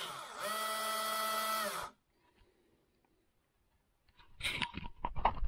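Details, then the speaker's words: RC4WD Zetros 6x6 RC truck shifted into top gear with diff locks unlocked: steady high motor whine spinning up and down with no drivetrain load; gearshift servo cable doesn't pull the pin fully, so the gear never engages. "this truck has now been engaged into top gear in other words all the divs were unlocked but there it is you can hear the motor is spinning but nothing else"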